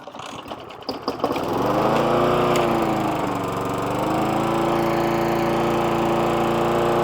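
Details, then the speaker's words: Hayter 41 lawnmower that hit something hard and then wouldn't start: a few sputters, then it catches but the steady hum sags and dips in pitch. It is labouring, with a high amount of water in the fuel tank and the repair not yet done. "so it runs okay but um that's not to say it's fixed um there's quite a high amount of water inside that tank"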